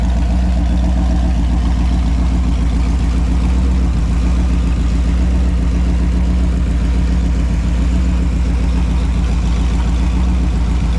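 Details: Holden 253 V8 on a bench test after a freshen-up: new bearings, honed bores, new rings, Yella Terra heads, new timing chain. Smooth, even V8 idle burble with a steady low throb and light throttle blips. Normal, healthy running.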